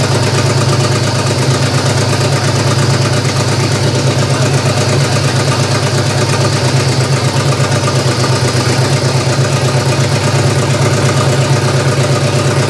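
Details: GM 3100 V6 in a Camry, after rechecking firing order: uneven, loping idle with irregular pulses; running better but still rough, owner blames fuel almost two years old as a big issue.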